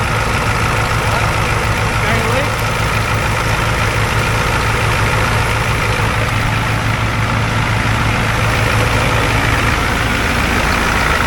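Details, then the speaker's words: 1994 Ford F-350 crew cab diesel, first start after injector and fuel lines were off, throttle held to the floor: loud, ragged, lumpy clatter from air still in the injector lines. "he's had all the injector lines and stuff off so it's gonna be angry yeah go ahead"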